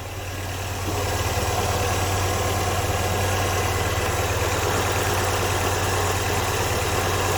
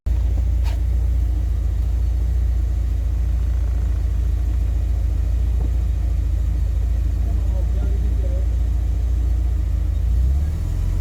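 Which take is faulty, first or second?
second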